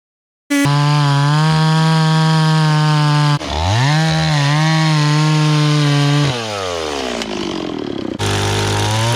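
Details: Restored old Stihl 026 two-stroke chainsaw after carburetor cleaning, rough-cutting firewood with a pretty dull chain: high even scream dips under load in the cut and snaps back between cuts; pulls strong, runs clean.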